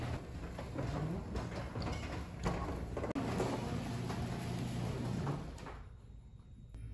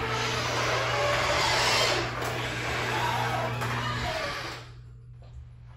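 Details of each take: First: Garage door after Blaster garage door lubricant was applied to its mechanisms rolls open and shut with a low even rumble, no squeaks or squeals; smooth normal operation. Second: Garage door opening, before applying Blaster garage door lubricant: steady rumble with drawn-out squeals and rubbing inside and out; dry rollers, hinges and springs need lubrication.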